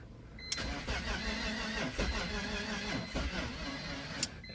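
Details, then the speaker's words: 2003 BMW E46 330 from an impound auction, cranking on a weak jump pack after replacing a 30 A fuse: the starter turns the engine slowly and unevenly, a few labored beats per second, and it won't start. "She does crank. The jump pack's a little weak. Let me see if I can give her a little boost."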